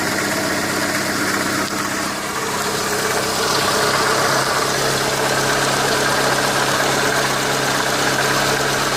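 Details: Renault Megane 2 at idle: faint rapid tapping about four per second over the engine; engine knock, cause unclear.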